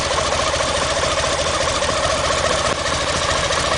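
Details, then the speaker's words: BMW K75 motorcycle test start after replacing all fuel lines, no fuel leaks, cooling fan working: steady, even idle with smooth unbroken exhaust beat and no knocks or misses; engine healthy. "Everything sounds good. I think we're good to go on this one."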